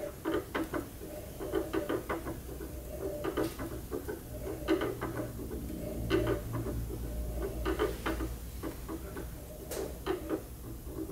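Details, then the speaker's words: Mill drilling to duplicate the hole pattern from the old brazed lathe spindle gear into the new gear: hand-turned drill gives a soft scraping rub once per turn as the point rubs off-center in the existing hole, so alignment is adjusted side to side. "can we we can hear it rubbing okay and you can see the flutes are this way right now that's where the rub noise is"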